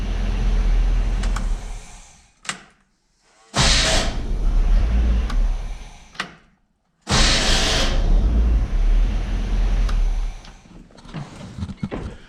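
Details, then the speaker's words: K30 Squarebody 4x4 with SM465 manual, first crank after fitting a correct replacement starter and cleaning up the wiring, following a wrong-fitting starter: two bursts of rough, uneven whirring, each cut off abruptly; better than before, owner suspects it needs a starter shim. "sounds like it might need a shim it's a lot better than it was so uh i'm gonna go ahead and stick a shim in there and see what happens"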